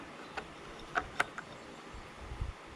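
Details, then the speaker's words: Craftsman LT2000 lawn tractor, with the carburetor fuel shutoff solenoid disconnected: sharp, clean clicks as it engages and disengages. The solenoid works normally. "This one actually seems like it works because we can hear it engaging and disengaging."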